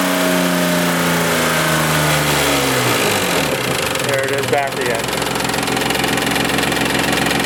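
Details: 1995 Isuzu Rodeo 3.2 V6, about 151,000 miles, timing belt and tensioner reportedly done: dull rapid knock at low rpm that fades around 2500 RPM and returns when revs drop; owner suspects timing belt tensioner but fears rod bearing knock.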